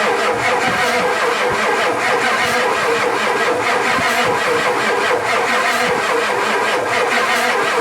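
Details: Ford F-250 7.3 non-turbo Power Stroke diesel sitting 10+ years, fuel confirmed at the filter: steady starter cranking with a faint rhythmic chug and hiss, but never catches or picks up speed; cranks, no start.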